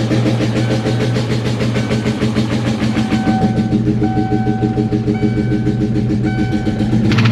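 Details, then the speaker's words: Neglected SVT Cobra V8, first run after sitting: rough, uneven idle with a steady knock at about 200 per minute. The knock is suspected on cylinder 4; oil level was checked, the pedal feels odd, and the engine tends to die. "That motor definitely don't sound too happy. >> That motor definitely doesn't sound too happy."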